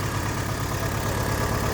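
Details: VW Gol with burnt oil, idling: a low, uneven, unsteady beat under a rattly hum. Owner plans to strip the oil pump and use proper oil. Rough idle.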